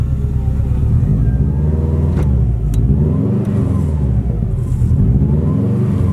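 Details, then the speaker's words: Subaru WRX, previously unable to pass 3000 rpm and backfiring, is held around 2000 rpm, then its note sags and wavers toward about 1000 rpm as if about to stall; cause unclear. Idle speed dropping, near stall. "it's wild and now what the heck it does it oh my god like it wants to go to one i feel like it wants to shut off"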